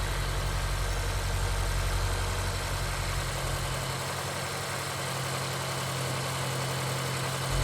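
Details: Honda S2000 after replacing a broken Amuse titanium exhaust resonator with a Ticon one and valve adjustment: even low steady idle with no squeal, rattle or knock; smoother and quieter, sounds healthy.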